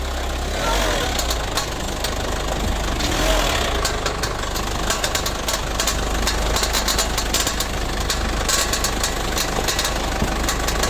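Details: Car at steady idle with sharp, irregular ticking knocks that never settle into an even rhythm; source of the knocking not identified; engine knocking.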